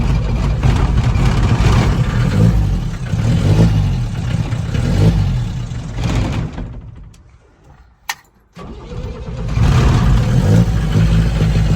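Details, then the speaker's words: 1975 Ford Transit MK1 diesel, sat 2 days, fuel line too small: engine chugs and labours unevenly, fades almost to nothing, coughs and picks back up roughly; owner suspects airlocking in the fuel system or pump cavitation. "I think part of its issue is, it gets airlocked. As I said, I haven't figured out the fuel system quite yet."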